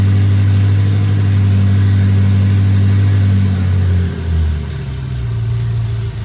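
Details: BMW E70 X5M with twin-turbo S63 V8, first start after a full engine rebuild; deep steady rumble with even firing, a few throttle blips rising and settling cleanly, sounding healthy.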